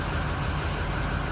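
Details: Ford diesel truck, about 107,000 miles, no-start diagnosis with IPR valve and wrong ICP sensor fitted; now running: steady, even low diesel rumble at idle with no knocks or misses, engine running normally.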